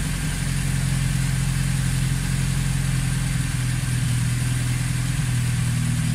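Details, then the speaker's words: Vauxhall Chevette (HSR rep) at its first start in years, after ignition timing and firing order work, run with no water pump belt: a steady fast drone racing well above normal tick-over while the idle is being turned down. High idle. "got it starting good running fairly well just it's racing like crazy so I'm trying to write down the idle bit and have no water pump belt on here"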